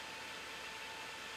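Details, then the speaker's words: Strong small PC cooling fan measured at about 5400-5440 rpm, near its specified speed: even, airy rush with a thin steady whine and no ticks or scraping; normal fan running at high speed. "okay so you hold it you energize can you hear it it's a very strong one"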